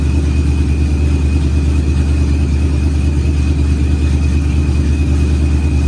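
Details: Procharged Ford Coyote V8, first fire-up of the built engine, good oil and fuel pressure: deep, steady rumble with even beat and faint constant high whine; smooth warm-up idle, nothing out of place.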